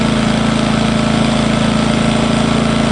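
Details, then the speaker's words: Engel 2500W inverter generator on first run with no load and Eco throttle on; quieter than expected. Even, steady low-pitched putter with a regular beat, no knocks or misses: normal idle. "you wouldn't want to have it outside your Caravan going all night but you could that's nowhere near as loud as what I was expecting which is a good thing isn't it"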